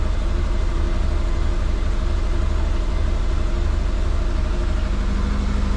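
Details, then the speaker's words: Twin-turbo Subaru Forester with suspected injector issues, after checking spark plugs: lumpy low idle with an uneven pulse about twice a second, sounds like running on three cylinders; misfire, cause not confirmed. "It does sound like it's running on 3, so let's start it up and see how we go. Alright. Still sounds the same."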